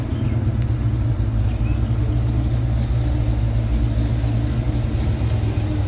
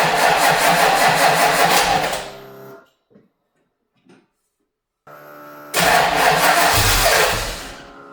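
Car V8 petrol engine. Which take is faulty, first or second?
second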